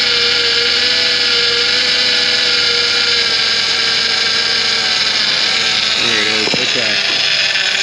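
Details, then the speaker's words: 2013 Ford Transit Connect, just after replacing the chafed power steering hard line and refilling (still needed more fluid): steady high-pitched, even whine; aerated fluid makes the pump sing, expected to fade within a day or so. "so that noise is going to keep going for a while because this fluid is aerated yeah it's full of bubbles in there well all that bubbly action does not play well with the hydraulic pumps"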